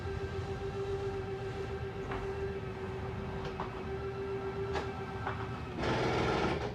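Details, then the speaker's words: 2022 Jayco Eagle HT 29.5BHDS travel trailer slide-out retracting, no batteries connected: steady mid-pitched electric motor whine, then a louder strained burst at the stop when fully extended; this scary-sounding noise is normal slide-out motor operation. "also that scary noise that is normal it just means you're fully extended so don't be afraid if you do hear that noise"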